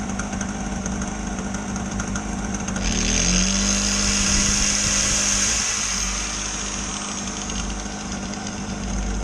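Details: Small two-stroke generator, sat unused in a shed for years and never run before: a buzzy drone climbs in pitch after a few seconds, then holds a steady high hum; running normally.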